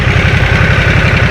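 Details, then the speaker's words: Harley-Davidson Nightster V-twin on stock exhaust, where two pipes merge into one: deep, steady loping pulse, even and unbroken with no knocks or misses; a healthy idle with a good pulse. "네, 신기합니다. 이 두 개의 파이프가 하나로 합쳐지면서 그 안에서 이렇게 사운드가 만들어지는 것 같은데, 고동감이 괜찮은데요."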